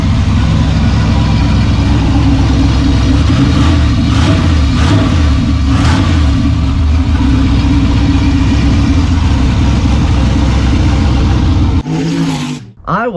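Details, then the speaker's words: Freshly rebuilt "Maliboom" V8 after its first fire, let cool, then run with the exhaust rigged open: a deep, loud rumble with open-exhaust pulses and a few clean revving blips, strong and steady. Normal running and revving. "so give me a minute let's let this thing cool off we'll rig that bad boy open let's make some noise"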